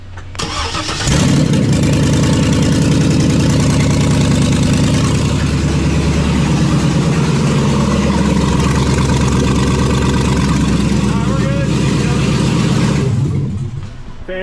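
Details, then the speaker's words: After repair of broken exhaust manifold bolts (previously causing a cold-start tick): engine cranks, catches and settles into a smooth, even idle, no exhaust ticking or manifold leak. "fantastic sounds excellent calling this one a success you guys no more leak at the manifold bolts it has been repaired"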